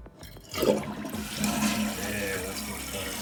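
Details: Toilet flush after the flapper was replaced with a Korky rubber flapper and its chain shortened: a strong rush and swirl settling into steady refilling, a full, complete flush with no weak or partial drain.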